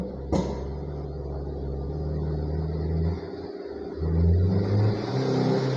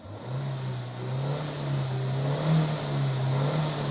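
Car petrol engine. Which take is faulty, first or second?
first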